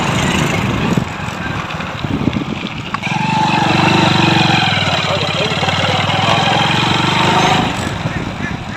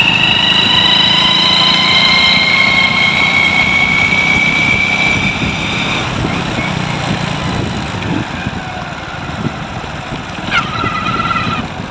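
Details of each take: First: Hero Splendor Pro motorcycle, which made a noise from the gear primary drive when accelerating in gear, with the primary drive being replaced: an even, steady idle with a smooth firing beat and no knock or rattle, so the engine sounds healthy. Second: Hero Splendor Pro before repair, noise when riding in gear: engine running with a thin high whine and gear chatter over the exhaust; worn primary drive gear noise, fixed by replacing the primary drive gear.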